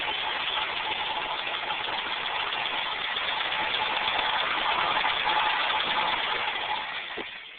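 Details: BMW E12 530i with fuel pressure regulator return hose blocked off, fuel pressure starting at 45 psi and dropping to 0 within 5–6 seconds: steady starter churn about 3.5 beats a second, never fires, then fades; cranks but no start.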